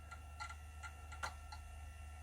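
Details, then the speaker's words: Amiga 600 bought untested, first power-up: sharp irregular clicks, about six in two seconds, over a low steady hum; floppy drive clicking with no disk loading while the hard drive runs. "the floppy drive is clicking which is annoying"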